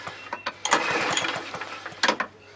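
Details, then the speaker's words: Hayter 43 lawnmower engine found locked up with oil hydrolock; spark plug out, recoil pulled a few times with brake lever held up; quick uneven pulls turn freely without compression, little oil dribbles out, clearing cylinder. "Make sure you pull your lever up though, won't you, if you brake. You just pull it over a few times."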